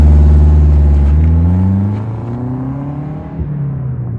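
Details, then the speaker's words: Saab 900 turbo, warm, after new spark plugs, a distributor rebuild and correct ignition timing to cure an idle misfire. A smooth, even pull climbs then eases off, with crackly burbles on the overrun, no stumble and more boost; a healthy engine under load. "the engine itself just sounds a friend I think a bit better it sounds healthier now that the timing is as it should be and it's not misfiring"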